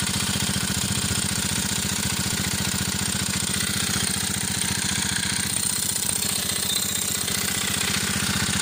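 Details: Alpha moped fitted with a BSE125 pit bike single-cylinder engine, at idle: sharp, regular tapping at about four per second, steady throughout. Engine knock.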